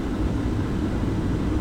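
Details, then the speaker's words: Class 4 van during a pre-trip inspection, heater blower on warm, then rear and defrost: steady low whooshing airflow with an even fan rumble, no rattles or scraping; normal heater blower. "But then I'm going to move this over to defrost. I can hear the defrost. And the fan's working fine in the back."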